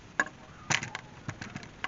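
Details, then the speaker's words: 2005 Acura TL with 230,000+ km, lifted on jack stands, tire rocked at the 12 and 6 o'clock positions with the engine off: loose, irregular clicks and knocks from excessive play in the worn upper ball joint. "i'm going to wiggle the tire and you're going to listen for a clicking"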